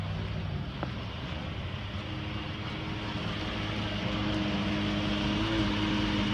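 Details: 2014 Ford F-150 driving: steady whine above road and engine rumble, rising slightly with speed; owner suspects the transmission, unconfirmed.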